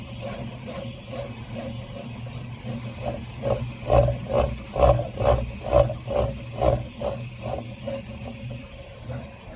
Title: Prusa i3mk3s rattling sound when moving very fast